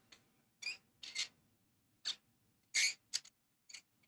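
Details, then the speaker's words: Pen cap turned on freshly lathe-turned pen threads: short high squeaks in bursts, otherwise quiet; thread surfaces rub and vibrate, slight wiggle, polishing suggested to make them slicker. Squeaking threads. "what's causing that sound is actually vibrations um so the surface the surface from the threads is actually causing a vibration which is causing that squeaking sound"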